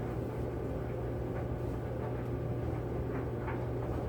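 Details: Kenmore 80 Series electric dryer running after motor replacement, wet towels inside; steady low hum with soft even rumble and faint tumbling, no squeal or scraping, motor and drum sound healthy.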